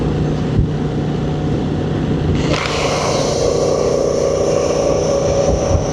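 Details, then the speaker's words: 2025 Honda Transalp 750 on stock Karoo Street tyres, accelerating to 100 km/h, heard as inside the helmet: steady mid-pitched hum rising over wind and engine; noisy tread singing from the tyres. "Hear that? That's what it's like inside the helmet."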